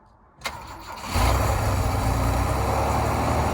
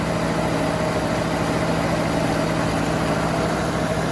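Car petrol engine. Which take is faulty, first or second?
second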